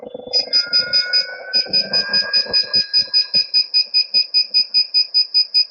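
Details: Begode ET Max electric unicycle free-spinning on a stand, pushed toward cutout near 93 mph and about 100% PWM: rapid steady high-pitched beeps about 2.5 per second, power alarm sounding only right at cutout.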